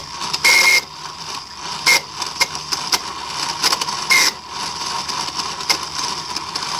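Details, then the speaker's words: 1995 Mercedes S320 non-ASR throttle body (part 0001415725) on bench before repair: repeated high-pitched buzzing screeches in short bursts when energized, as the motor hunts because the failed internal clutch coil isn't holding the plate; wiring deteriorating, heavy carbon. "noise this is a screeching sound that was described when unit is energized when the car is started okay because the coil is not holding it"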